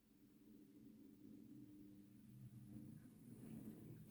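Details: Hornby R2959 Thompson L1 2-6-4T model locomotive on test track, worm gear just greased with lithium grease and gear oil, gearbox cover off: quiet, even motor hum, low steady drone, no grinding or ticking; normal running.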